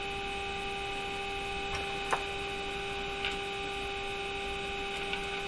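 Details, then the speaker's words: Mohawk Model 1240 five-tube radio during RF alignment, with loop antenna engaged and signal generator at full power. A steady buzzy hum with faint clicks, like an engine running, comes from the speaker. Owner suspects interference; cause unknown. "still has a funny sound to it it's like like an engine is running in it could be could be some kind of interference here"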